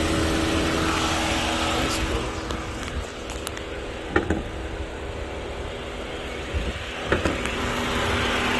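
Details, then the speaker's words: Auction car being inspected for a flip, clean engine bay, 97,000 on the odometer: smooth, even idle with a steady low hum and no knocks or ticks, just a few handling clicks; engine sounds healthy. "all right the engine sounds good looks good it's clean"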